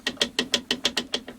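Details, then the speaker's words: New Bosch PTS10 table saw, loose angle adjustment part: nine sharp, bright ratchet-like clicks, about six per second, fading at the end. It clicks into position, yet there's still movement and play. "So you hear it clicking, but there's movement."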